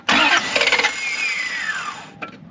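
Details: 1991 Lexus LS400 after sitting about 11 years; starter whirs briefly and spins down with no catch or firing while cranking with throttle open, pointing to valve timing lost from a skipped timing belt.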